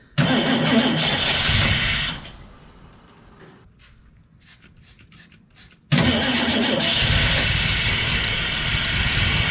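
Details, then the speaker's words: 1963 Chevrolet Impala SS, sitting 35+ years, fuel squirted in, spark plugs reinstalled: sluggish laboured cranking for a couple of seconds, pause, then engine catches and settles into steady run; slow cranking from tired weak battery. "it's definitely cranking a lot slow with the spark plugs back in there this battery is pretty tired"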